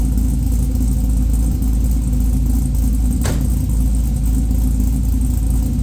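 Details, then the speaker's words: A newly LS-swapped 1985 Trans Am with a Brian Tooley Red Hot cam and an unfinished tune, warm (not a cold start), before its first drive. Deep, loping idle with an uneven chop about three times a second, running steadily. Normal cammed V8 idle. "but let's get this Beast started and he what it sounds like with the Brian Tuli red hot cam"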